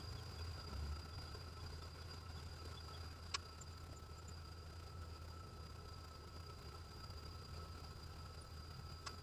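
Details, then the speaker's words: 1995 Chevy Lumina after a deer strike damaged the front end and destroyed the headlights; quiet, steady, low idle rumble with no misses, knocks or ticks, and the engine still runs well, a normal idle. "Well, on the bright side, it sounds like it's still running good."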